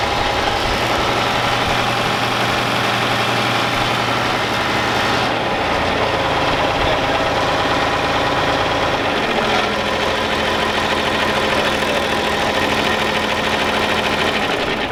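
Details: John Deere 4020 diesel tractor after sitting two years: clatters along at a steady, even idle with consistent rhythm and no misses, then shuts off; runs healthy, normal idle.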